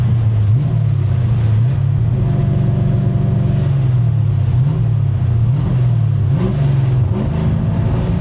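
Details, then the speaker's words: 1965 Grey Ghost V8, running after clearing up: deep, even rumble rising and falling smoothly with throttle, no stumble; misfire typically only after sitting a few days, owner suspects a leaking carburetor or valve guide seal oiling the plug. "yeah see it's running good now so it only does it typically when it sits up for a few days"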